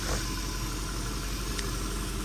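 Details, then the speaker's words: Jaguar XF 4.2L idling after thermostat housing replacement, coolant topped up, no engine light; steady, even idle with smooth low hum, no knocks, ticks or hunting – healthy. "no uh engine light I'm going let it idle for a little minute sound good though"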